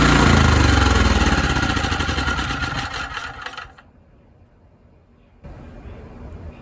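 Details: ETQ TG3000 3000 W portable generator, air filter off, primed with spray into intake: fires, runs briefly, then sags and dies within about four seconds.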